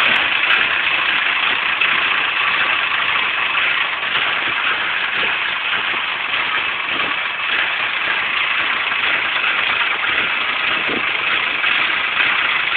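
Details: Nissan KA24DE four-cylinder: thin, uneven idle that wavers and stumbles with no steady beat; rough idle.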